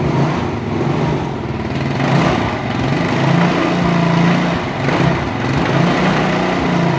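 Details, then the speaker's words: Old daily-commute scooter, warmed up first (hard to start cold), after replacing parts: engine revs up and drops back smoothly with no knocks or rattles; earlier sound was rough, now very smooth. "kalau ini suaranya benar-benar halus tadi masih di gas gitu ya"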